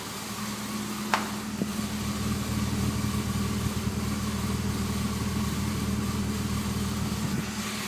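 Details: BMW E46 ZHP engine idling with an irregular low rumble and an odd rattle in the engine note; the noise comes from the engine bay, recorded from the engine, under the car and back to the exhaust; cause unconfirmed.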